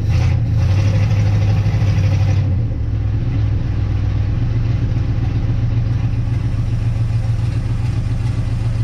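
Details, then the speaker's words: 1958 Dodge Coronet Lancer V8, 30-year barn find, idling after condenser and coil checked; deep uneven stumbling idle with irregular sputters and shaking, smoother when first revived; misfire persists, cause unconfirmed. "still doing that sputter thing for my recollection when this thing first ran it was very smooth now I can see it shake a little still sputtering"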